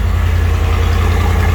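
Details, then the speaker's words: 1979 Dodge Power Wagon V8, budget off-road crawler build, running with a Holley carburetor: deep, even exhaust pulses at a steady beat with no misses or knocks; healthy smooth idle. "yeah here i'm gonna go ahead and fire it up seems like it's running okay now with a highly carb"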